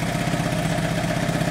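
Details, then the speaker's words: Ninja Super Sport four-cylinder motorcycle at operating temperature, won't take throttle when hot: uneven, stumbling idle as one cylinder cuts in and out while plug leads are pulled to isolate it; intermittent hot misfire, cause unconfirmed. "what happened there we dropped cylinders hear that is that cylinder like bugging in and out"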